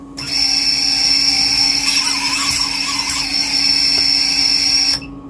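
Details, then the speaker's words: Siccario cinelifter with BH2812 v3 motors on the bench, only the four top motors running, after tensioning the arms with polypropylene line to fix frame vibration: a steady high motor whine with no shake. It runs much smoother, with a higher resonant frequency. "and you can see it's just so so much smoother the um the tension between the arms just just really really helps"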